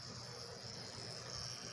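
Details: Xbox 360 that powers on with a green light but gives no video: steady piercing high-pitched whine over a low hum from the noisy power supply, suspected bad, with a failed large filter capacitor.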